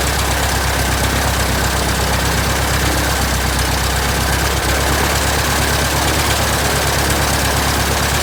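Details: 1967 Citabria restoration, first start: steady, even low-pitched idle with a regular firing pulse, no knocks or misses; normal idle.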